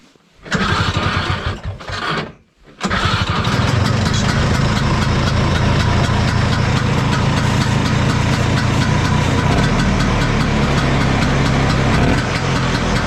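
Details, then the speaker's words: 1972 Ski-Doo Elan snowmobile, 250 single-cylinder two-stroke, restored: a couple of cranking bursts, then it catches into a steady, choppy single-cylinder idle, running evenly; normal two-stroke idle. "those single cylinders just have their own sound sounds pretty cool"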